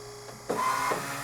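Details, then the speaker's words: Spolar Gold Premier hydraulic reloading press pump hum rising, then a short high squeal of about a third of a second as the arm reaches its stop; normal end-of-cycle pump squeal. "you can hear that high pitch squeal that tells you that it is at the end of it cycle so you will know when you're loading with the hydraulic when you have actually reach the handle into the Stop"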